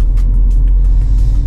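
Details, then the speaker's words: VW Golf V on a test drive after engine and cylinder head rebuild, off the road at least 6 months, camshaft adjustment not yet done: steady low road and engine rumble, even and smooth, no knocks or odd noises. Drives normally. "je suis reparti il y a 5 minutes pour faire un petit tour dessai pas de bruit bizarre la voiture roule très bien"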